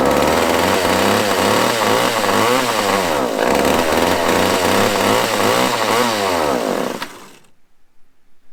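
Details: Small chainsaw on fresh gas, primed, with fuel seen reaching the carb. It runs with a high buzz surging up and down about three times a second before cutting out, likely needing carb adjustment.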